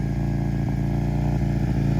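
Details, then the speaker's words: 2010 Aprilia Tuono 1000 R bought at auction, weak battery: fast steady engine beat held far above normal idle, too high to shift into gear; high idle. "I wasn't recording, but I got it running. But man, it's idling super"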